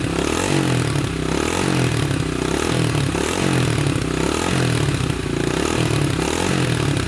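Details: 1987 Honda 250X single finally running after new valves, new coil and about a thousand kicks, idle adjusted up: steady fast idle thumping with a loose mechanical clatter on top, running evenly; normal running.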